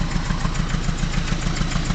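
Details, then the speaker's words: 1989 Mazda B2200 four-cylinder, 5-speed manual, smokes a lot, at idle: faint rhythmic rattle pulsing about seven times a second; vibration rattle, owner notes a mounting bolt not fully tightened. "it's just a kind of vibrator logical this mounting bolt is not tight in there all the way"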